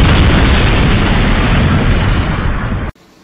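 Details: VW Touareg with one cylinder not working, codes P0204, P0300 misfire detected, P0303, N32: loud, lumpy engine roar with uneven pops about four times a second.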